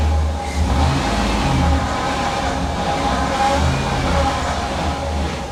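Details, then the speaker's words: Chevy SSR engine idling and revving after suspension bolts tightened: thin steady accessory-drive whine, owner suspects power steering pump but says it could be a tensioner or idler pulley; not confirmed. "swear that that sounds like a power steering pump but it doesn't mean it is a power steering pump it could be any one of the tensioners idler pulley it's really hard to tell"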